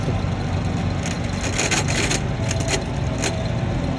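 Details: Fiat Argo gearbox: steady low rumble with scraping metallic rasping bursts, like a chain dragging over aluminum; gearbox noise, cause unclear.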